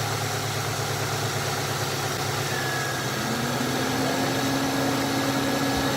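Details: 1996 Ford Mustang after AC recharge, AC switched on at idle: a new tone rises in and the load settles as the fan and compressor engage normally.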